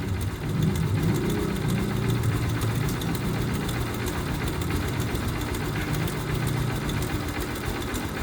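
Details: TMX Supremo motorcycle, noisy when running even when warm, chain suspected: single-cylinder idle with an uneven rattly clatter over a low thump, engine noise at idle, cause not confirmed.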